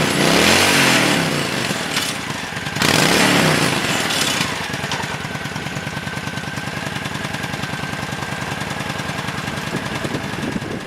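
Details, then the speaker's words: 1997 Honda Shadow VT1100CH California version, freshly rebuilt after heavy varnish removal, floats set tight: V-twin lumpy idle with a fast light metallic rattle up front from the decorative light whose nut spins in its fixture. "Rattling up front is that stupid decorative light. I haven't figured out what to do about that."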